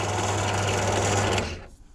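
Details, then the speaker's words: New Energer ENB672DBT bench drill press, 350W motor, 5-speed, running with no load: smooth even hum that is not too loud, then winds down when switched off; the motor works fine. "Just turn it on. It doesn't seem to be too loud."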